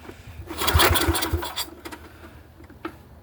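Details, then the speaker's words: Neglected Yamaha 624 snowblower, carb cleaner sprayed into the intake, choke shut: uneven cranking bursts with a couple of half-catches that never settle. It almost starts but won't run; it had run for a couple seconds earlier. "See, it almost started. Earlier when I was playing with this, I had it turning over pretty good. It was running for a couple seconds, but I'm trying to show you that."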